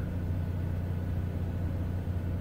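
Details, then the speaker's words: Onan 4k generator in a Bounder motorhome, after Royal Purple Max Clean fuel treatment, heard through a cracked window. It gives a steady, even low drone with no surging, misses or hunting, and sounds much better: nice and smooth. "that sounds a lot better wow that sounds it's nice and smooth"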